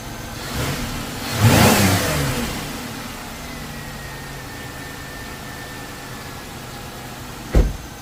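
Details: 2001 Chevrolet Impala 3800 V6 after a new ZZP upper intake manifold was installed and a torn injector O-ring was replaced, which was believed to fix a vacuum leak or badly seated injector. A throttle blip rises cleanly and drops back to a quiet, steady idle: normal idle and revs.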